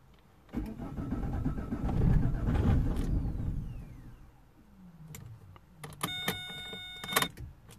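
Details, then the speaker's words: 2007 Vauxhall/Opel Vectra 1.9 diesel Z19DT after engine swap: starter cranks a couple of seconds, it nearly fires then stops, no start; high rail pressure sensor code P0088 appears and is suspected to prevent starting. "happens okay so you've seen you crank it kind of wants to fire but then it just stops"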